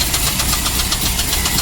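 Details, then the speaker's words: Car that shut off while idling and became hard to crank, restarted at idle: loud sharp metallic knocking repeating steadily; oil pressure seems good, owner unsure if rod or lifter, source not confirmed, engine to be pulled. "so we're not sure might be a robbery might be a liquor we really don't know but it's pretty loud and"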